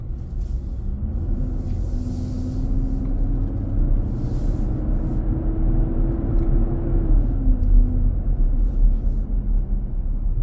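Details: New 2023 Nissan Armada, about 4k miles, driving on a hot day, cabin near 95°F: heavy humming roar rises and holds several seconds, then eases, returning on acceleration with power loss felt; happens almost daily. Loud fan clutch roar.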